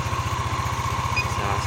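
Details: Yamaha NMAX 155 (old model) after repair of error code 61 (ISC idle-control fault); ISC read 33.5% before starting. Quick, regular putter at idle, evenly spaced, no stumbles or ticking: clean normal idle.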